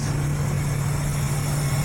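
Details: Ford after a keep-alive memory reset, idling with short- and long-term fuel trims good. Smooth, even idle with a steady low hum and no misses or ticks.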